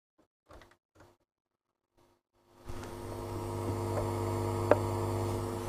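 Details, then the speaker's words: Old radio/tape deck that will not switch off: after a few knocks a steady, low, buzzy hum comes on and holds. "can you hear the hum coming out of that"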